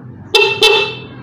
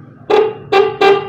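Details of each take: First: Motorcycle horn after fix, rubber piece moved to another of four holes: two short, loud, clear honks with bright steady tone, no rasp or weakness; healthy and strong compared with earlier snail-like sound. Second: Motorcycle horn weak and hoarse, snail-like: four short honks and a faint fifth, thin and buzzy rather than loud and clear; horn worn out.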